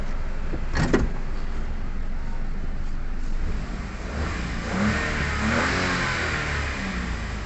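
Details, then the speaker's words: Toyota Wigo after cylinder 2 injector circuit misfire fault, codes cleared and rescanned with none found: picks up cleanly, smooth even note with aircon on, no miss; check engine light no longer appears. "So hindi na lumabas yung check engine. Yan. Yan guys. So pumino na, naka aircon na rin yan."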